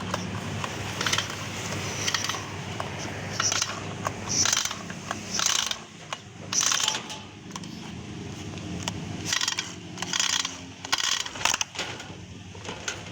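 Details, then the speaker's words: Honda GX35 brush cutter engine that died after use: each starter pull gives a dry rasping scrape and ratchety clatter with no firing. Teardown found both sides of the cylinder scored. "ดูเสื้อกันนะครับนี้เลยครับลายนะครับเสื้อลายเป็นเส้นเลย2ข้าง"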